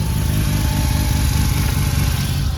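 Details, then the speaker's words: Mazda RX7 FC3S fresh street-ported rotary, early in hour-long heat cycle, vacuum about 15 at idle (porting loses some vacuum): deep choppy lumpy idle with loping whoop-whoop pulse, sounds healthy; normal street-ported rotary idle. "With any sort of porting, you lose a bit of vacuum at idle. Oh, that sounds sick."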